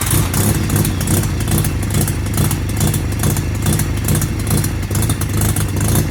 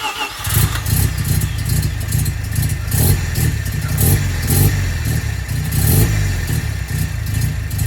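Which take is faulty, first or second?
first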